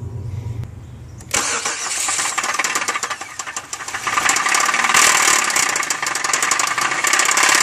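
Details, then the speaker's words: 2003 Chevy Malibu about to have its engine pulled: engine cranks and catches, then a loud uneven metallic clatter rides over the idle, several raps a second; severe internal engine knock, source undetermined. "s a uh 2003 Chevy Malibu it's uh got a horrible engine knocking noise but it's real bad and I just wanted to show you guys what it sounds like"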